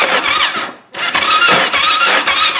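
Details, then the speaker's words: Carbureted Kawasaki Ninja motorcycle, engine still hot after arrival, stalls if not shifted to neutral as if loaded and then is hard to restart. Repeated cranking bursts with a high whirr and pauses; the engine never clearly catches. "nggak segera dinolkan, kalau masih masuk satu, dia langsung mati seperti terbebani. Kalau sudah mati begini susah."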